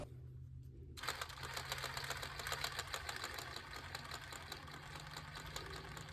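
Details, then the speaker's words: Axial SCX10 Pro RC crawler with rear driveshaft removed; fast uneven clatter, about two knocks a second, over motor whir; owner almost positive it is the transmission, not confirmed; drivetrain clicking. "And we're still getting that clanging noise. I'm almost positive it's in the transmission."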